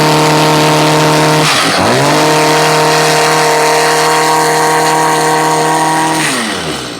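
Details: Stihl two-stroke blower after a bogging, no-power fix with new fuel pump, gasket and metering parts: high, steady buzz holds clean after a brief dip, then winds down evenly; no bogging.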